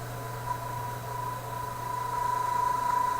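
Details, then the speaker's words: Stromberg Carlson FR503/504 tube radio with low B+ voltage, tuned to a station: low mains hum under a thin steady high ring from the speaker; source not yet found. "kind of ringy sort of thing coming out of it"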